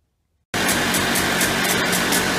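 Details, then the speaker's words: Early-1990s Polaris Trail Boss 250 two-stroke ATV, carburetor clean, intake boot believed fine: starts and holds a high, steady buzzing idle that won't settle and winds out when throttle is released; suspected air leak from failed crankcase seals behind flywheel or clutch. "You could see when I let off the throttle, you could hear it kind of wind out. I'm pretty sure it's got an air leak."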